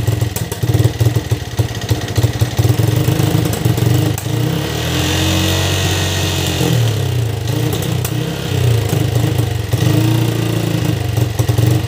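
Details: Yamaha Vixion single-cylinder that died suddenly after running out of oil; spark plug replaced, possible piston or valve damage. It now idles with a steady low thump, revs cleanly on a blip and drops back to even idle; mechanic says it isn't truly normal.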